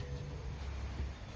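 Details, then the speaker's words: Mercedes C63 after fix: front upper and lower control arm bushings and ball joints sprayed with PB Blaster; only a low, steady rumble, no squeak or creak from the front suspension. "so we should be good to go and just like that the same thing the other side no more squeaking noise no nothing perfectly quiet now"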